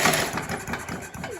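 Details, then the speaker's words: Scott Bonnar mower, Briggs & Stratton Sprint 375 4-stroke, spark test with original dark-tipped plug grounded to the block: quick ragged pull-cord cranking, never catches; no visible spark at the plug. "I can't see any spark, which has got me mystified as to why it started in the first place, but I'll just give that a few more pulls."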